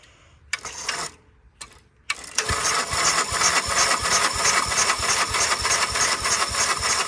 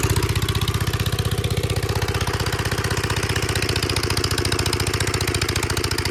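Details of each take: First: 1946 Gravely Model L single-cylinder, unrun about five years, hard starting; in neutral at mid throttle on a starter cart with ether, owner suspects a faulty carb float; after short cranking bursts it catches and pops in quick fairly even beats. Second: 1946 Gravely Model L single-cylinder, revived after about five years unused, started on ether with a suspected faulty carb float, in neutral at mid throttle: steady, even thump at slow idle, firing cleanly; healthy running engine.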